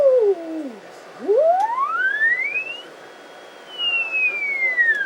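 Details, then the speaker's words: Yaesu FT-707 HF transceiver, previously sprayed full of WD40, under repair, receiving an injected unmodulated 14.1 MHz carrier, test point 1 around 23 MHz; pure whistle glides smoothly in pitch as the dial tunes; receiver working properly. "So I'm injecting a signal. It's just 14.1 megs. No, obviously just a dead carrier, nothing modulated. And you can actually hear that,"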